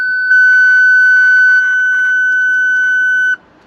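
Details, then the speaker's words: Range Rover Sport L320 parking sensor speaker, original unit refitted: clean, steady, strong high-pitched beep with no crackle or distortion; the speaker is fine. "I don't believe there's anything wrong with that speaker. I think the speaker's fine. It certainly sounds as strong as the one from my L322."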